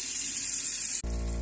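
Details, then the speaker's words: Kitchen mixer tap (Iddis) humming: running water hiss gives way to a loud steady low drone, most likely a faulty cartridge (kran-buksa), replaced as the fix. "слышим какой шум скорее всего проблема в кран боксе прижимаем не шуметь кран дис"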